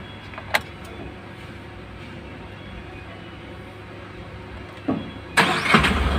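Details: Tata Ace Gold BS6 diesel with a starting problem traced to a weak earth (ground) connection: once properly earthed it cranks briefly, catches at once and settles into a steady idle.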